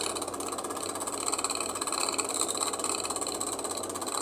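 A steady, fast ticking knock at roughly two per second over a hissy running hum from an iced-up fridge; cause unclear.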